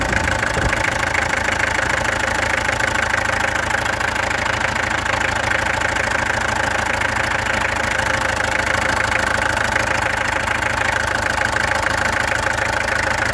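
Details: Peugeot XD2 diesel ticking over, before the injectors were removed, tested and adjusted: hard, regular clatter near 200 beats a minute with a faint unevenness. Owner suspects a misfire, possibly a weak cylinder; cause not confirmed.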